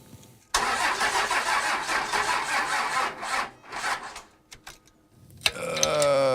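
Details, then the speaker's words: Roadkill Ramp Truck diesel, sat 3 years, new battery at 12.1 volts, starter bypassed with a pigtail, injectors cracked to bleed air. Sluggish, uneven cranking under three turns a second that never catches; slow cranking, no start, cause unconfirmed. "Right now, I'm cracking open all the injectors to try and help get some of the air out. Uh, that it's turning over really slow."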